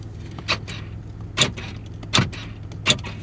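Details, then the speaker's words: Chevrolet Impala after replacing the door lock actuators: four crisp, firm lock clunks about a second apart, each complete; the power door locks work normally. "all right so i'm all done with the lock actuators now all of them open"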